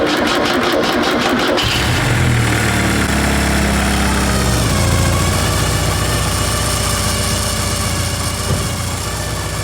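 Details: Porsche 944 after a full DIY service (timing belt, water pump, gaskets, cam housing, injector O-rings, oil and filters): quick crank, catches immediately and settles into a smooth, even idle with no knocks.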